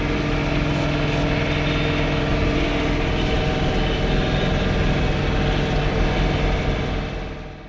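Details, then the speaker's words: John Deere 3 Series tractor snow blowing, running in high range by mistake: steady diesel drone with a rough buzzing vibration that changes pitch and tone with rpm; owner hopes it is not a bearing, source not yet found. "so while you're watching the video i have a vibration that i hope is not a bearing that you can hear in the background of the tractor and it definitely changes pitch and tone with the rpms of the tractor"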